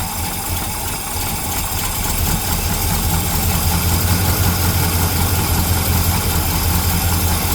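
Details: 1975 El Camino V8 at cold idle just after a new carburetor was fitted: steady, deep, even burble with no misses or knocks. Normal, healthy idle.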